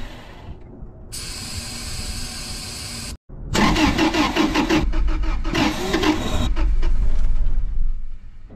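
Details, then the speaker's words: 2000 Toyota 4Runner with 363,000 miles gives two bursts of even cranking that never fire. Fuses checked OK, the tank is full and throttle body spray was tried. Diagnosed as a bad fuel pump, then replaced. "All right, guys. Diagnosis is fuel pump's bad."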